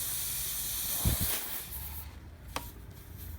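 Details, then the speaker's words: Run-flat tubeless tire with a long Robertson-head screw removed, before reaming and repair: a sharp, steady hiss for about a second and a half that then fades; air leaking from the puncture. "that is a nasty uh puncture that's a really long robertson headed screw so you can hear the air coming out of there now it's not certainly not hard to find this hole"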